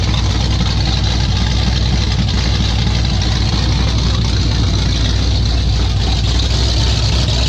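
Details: 1995 Ford F150 with 347 stroker V8, carburetor not yet fully adjusted: loud, lumpy low rumble with an uneven beat at about four pulses a second; rough idle that isn't settling smoothly, cause not confirmed.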